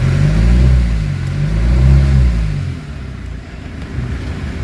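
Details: Kia Sorento automatic 4x4 with a cranking-but-no-start fault, now fixed. The engine catches, revs up and back down smoothly, then settles to a steady, even idle with no knocks or misses.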